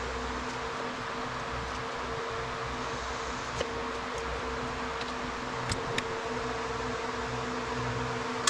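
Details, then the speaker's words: Old Craftsman indirect-drive 120V wood lathe after refitting a lopsided drive pulley and realigning the belt: steady even motor hum, constant tone, no wobble or thump; runs smoothly. "All right. If you notice, that's much better."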